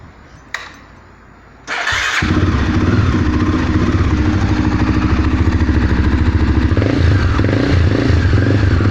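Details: Twister engine at idle after a quick start. Fast, fairly regular metallic clatter over the exhaust beat. Internal engine clatter, cause unclear.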